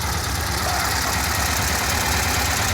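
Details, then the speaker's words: VW Kombi air-cooled engine after repairs: even, steady idle with a smooth low beat and no knocks or misses; no oil leaks; running cleanly, though the starter motor still needs replacing. "Все работает нормально, посмотрите на двигатель, как он работает ровно, сильно отличается от других, масло не течет, это очень важно, работает хорошо,"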